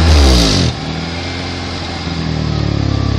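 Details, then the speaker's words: 2005 Acura TSX with HFC and GReddy Evo2 exhaust, revved and released: raspy, puffing exhaust note on let-off; suspected exhaust leak, seemingly from the GReddy muffler at the rear. "sounds like the it's coming from the gry"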